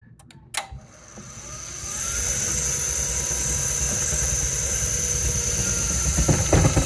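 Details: A loud gravelly roar builds over a couple of seconds, then holds harsh and steady; something is rough and worse than before, cause unclear.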